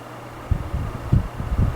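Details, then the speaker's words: 12-inch oscillating desk fan (Midea-made, brand unknown) on low speed: low hum with irregular loose knocks and clatters every half second; worn thrust washers and dry steel bearings let the shaft rattle, fixed by lubricating and replacing washers. "they're fantastic until they dry out and then they become problematic this also has a little bit of a sound to it like a rattling noise on low which"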